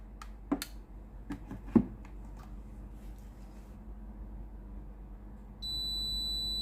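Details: Philips GC9622 steam iron with no-steam complaint, powering up: quiet room, a few clicks, then one steady high-pitched beep about a second long signalling it has heated and is ready.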